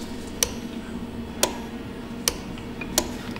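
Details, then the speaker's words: 2008 Chevrolet Trailblazer 4.2, secondary air injection codes: four sharp relay clicks about a second apart with no air pump whir after; relay clicks but pump stays dead, broken wires and a bad relay suspected. "make sure the relay is turning on I hear it clicking doesn't mean it works no dang it freaking GM"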